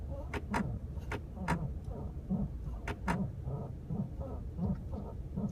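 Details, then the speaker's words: 2010 Chrysler 300 parked, clicking in the center console as the brake pedal is pressed, new that day, filmed on a rainy day; irregular sharp clicks and dull thumps about one a second, cause unclear. "car is in park and I'm just de pressing on the brake pedal and now this is new as of today I'm hearing this clicking in the center console right here when I depress"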